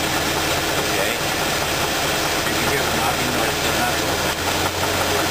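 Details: Petrol engine idling with a steady knock under the running noise. The knock stops when cylinder two's spark plug wire is pulled, and a valve lifter was also checked. Teardown confirmed a bad rod bearing.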